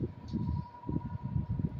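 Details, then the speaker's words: Air Wizard Pro 20-inch wall fan converted to a floor fan, on medium speed: thin, steady whine at one pitch under the airflow rush; owner blames a cheap Chinese motor. "just hear that whine hear that oh it's China Deluxe motor that's why it sounds so whiny"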